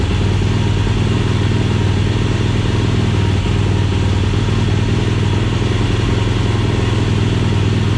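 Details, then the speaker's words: 2007 Yamaha YFZ450 SE build, on temporary leaking gas bottle: deep steady single-cylinder thump at fast even idle, no knocks, misses or rattles; runs good until out of gas. "all right well she's out of gas so she's running good i can't complain with that can't complain with that at all"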